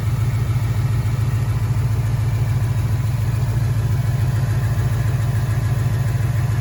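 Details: 2013 Ford Mustang GT 5.0 Coyote V8, manual, 81,500 miles: heavy low idle rumble with a steady deep thump about twice a second underneath; suspected rod knock, worse after driving, and the car stalls after long drives.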